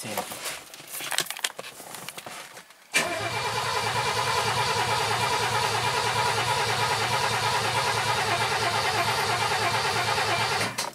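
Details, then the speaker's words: Mercedes M123 engine swapped into a W126, carbureted, first start with throttle linkage not yet done and no muffler fitted: cranks, catches and settles into a loud, raw, rasping steady idle from the open exhaust. "Сейчас заведем, прогреем. Ни глушитель у нас не сделан. Будет сейчас орать."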